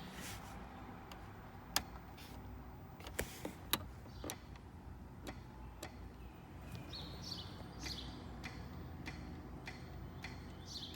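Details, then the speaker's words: Granatelli line lock solenoid on a 2010-2014 Mustang during initial testing, brakes pumped twice to build line pressure; quiet car with a few sharp, separate clicks as the solenoid engages normally. "you can hear it clicking. We are good, guys. We are good to go."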